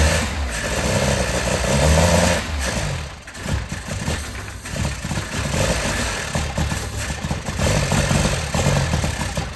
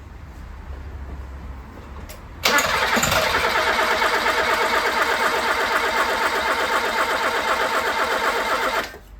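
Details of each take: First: 1980s Toyota Tercel barn find, carb fed fuel directly by gravity with the fuel pump line disconnected: engine catches and runs, blipped up and settling back with some unevenness, no knocking; normal running. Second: 1980s Toyota Tercel barn find, first start attempt after restoration: starter spins engine evenly just under three turns per second but never catches; owner suspects lack of fuel or empty carburettor bowl.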